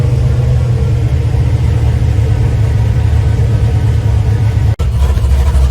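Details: LS-based V8 shop truck just after a Howard's Rattler cam swap without changing springs, new exhaust, not yet tuned for the cam, warming up; low, choppy rumble with rhythmic lope and no clatter or misfire stumble, healthy idle.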